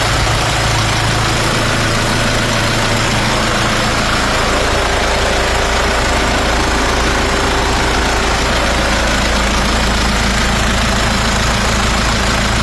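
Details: Nissan Patrol 4x4 3.0L diesel after a top overhaul and valve setting that fixed the misfire and valve leak: even, steady idle clatter with no stumbles or dropouts; runs smoothly on all cylinders.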